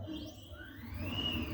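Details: Custom-built CNC router jogged in Mach3 MPG mode after correcting steps-per-mm and feed rate to stop stalling, X axis moving: soft tonal whine sweeping up as the axis speeds up, then steady; smooth travel without stalls or skipped steps; normal stepper motion.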